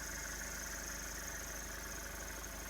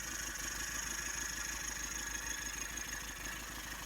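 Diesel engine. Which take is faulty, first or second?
second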